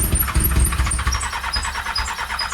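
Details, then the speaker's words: Triumph Daytona 600 that sat for years with water in the engine, cranked via a jumped solenoid on starting fluid: irregular low coughs and pops that never catch into an idle. It fires but won't run. "And it's trying to start. I mean, it's got little coughs and pops. So, I mean, I'm going for a vroom. Something that sounds a little bit more promising than a cough and a fart."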